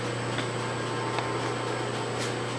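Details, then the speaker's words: South Bend 13-inch metal lathe spindle running on a VFD with potentiometer speed control and an old spliced, loosely tensioned belt; steady low hum with faint high electronic whine, smooth and quiet. "as you can see it's pretty quiet"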